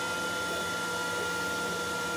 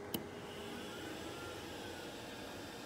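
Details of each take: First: Glowforge laser cutter with draft board, running on its own built-in exhaust fan before an external fan was added: loud steady fan roar with fixed whining tones and no speed change; excessive exhaust fan noise. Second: Glowforge laser cutter with replacement external exhaust fan: low, even airy hum, smooth steady whoosh with no rattle or surging; much quieter than the stock fan, normal operation.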